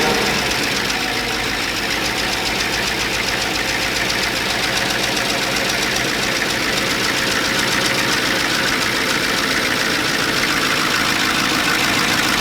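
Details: 2014 Chevy Silverado 5.3L after an AFM/DOD delete, with pushrod length, preload and torque converter seating verified: constant sharp ticking, about three to four per second, over the idle; valvetrain noise, with two bad lifters suspected but unconfirmed.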